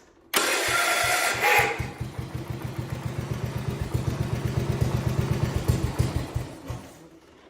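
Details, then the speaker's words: Short clean crank then even firing pulses that slow and die on a 1971 110 converted from magneto to battery ignition, after replacing flywheel and starter; starter grinding gone though ignition still suspected faulty. "think that ignition still has problems but it does sound a lot better now with that being fixed"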